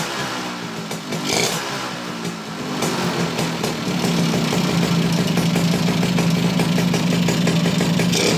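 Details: Suzuki Bravo (RC100) two-stroke after carburetor service and combustion-chamber cleaning starts easily and revs freely, but a rough rattling knock rides on every revolution: worn connecting rod needing replacement, not yet replaced; piston may be replaced too.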